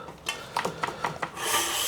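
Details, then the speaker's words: HUP Featherweight youth XC race bike with Shimano XT brakes: quick repeating scrapes, about four or five a second, then a steady hiss as the disc brake rotor rubs an uncentered caliper; still rubbing after half an hour of adjustment, caliper not yet bolted down. "n there probably half an hour now and it's still rubbing. So, I'm having a rest and going to the back. See if this one wants to behave. But yeah, it's not playing ball at all."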